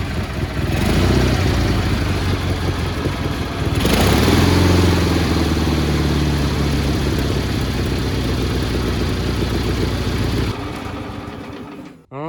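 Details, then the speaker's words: Cub Cadet 1430 lawn tractor, sat for years, running just after starting: fast uneven chug with occasional skipped beats, misfire on one side. Later found the idle screw fully out and plugs fouled; carburetor retuned and plugs replaced. "here I'm like gassing myself right now little misfire on this side but she's running pretty good actually"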